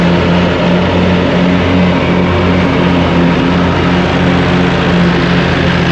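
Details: Hustler zero-turn mower with swapped engine, new blades, three new spindles, belt tensioned, mowing grass: loud even drone holding steady speed while cutting, no misses or knocks; normal running under load.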